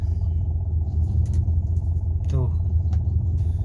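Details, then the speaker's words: Honda Civic Genio, warmed up at idle of about 400–500 rpm with no throttle: low, lumpy, helicopter- or diesel-like chuff with a limping beat; misfire from a dead spark plug. "Ayo kita coba dengar sendiri kan suaranya kayak kayak helikopter ya ya"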